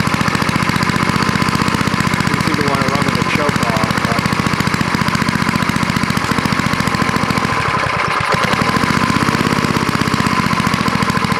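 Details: Fast, even single-cylinder firing holding a steady speed with no misses or stumbles; an old snowblower-collection engine running after its dirty carburetor bowl and float were cleaned with carb cleaner and reassembled.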